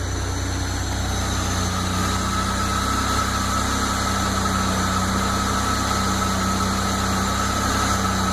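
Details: Ford EcoBoost at cold start, idling with a steady low hum and a thin constant whine. The noise lasts about 20 seconds and stops when something clicks under the hood; the owner has ruled out the tensioner, and the cause is unknown.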